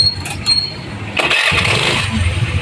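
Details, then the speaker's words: Honda Dio scooter on its single stand after repair: brief starter whirr, then the small engine catches cleanly and settles to an even idle. The earlier rattle, blamed on a loosened spring/part rubbing, is gone after the part was replaced. "Single देखिए दोस्तों वो sound हट गया है single stand पर अभी व sound हट गया है"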